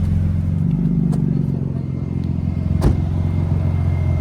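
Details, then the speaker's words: Infiniti G35 drift car at operating temperature with AC off, after a new thermostat, radiator, block flush and Mishimoto radiator fan shroud. Steady low whooshing hum from both cooling fans over a smooth idle, no rattles or scraping. Cooling fans working normally. "Oh, beautiful. They're both working perfectly. Got her up to temp. That was the fix, baby."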